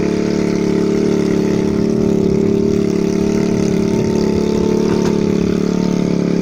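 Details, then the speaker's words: 2013 TaoTao 50cc CVT scooter at 2,713.8 miles with a new coil and NGK spark plug; it had been running very lean and was adjusted. A steady buzzy single-cylinder idle with the odd small rich pop; runs rich and healthy, a normal idle. "it's actually more powerful than most other Taotao 50s it runs rich and healthy"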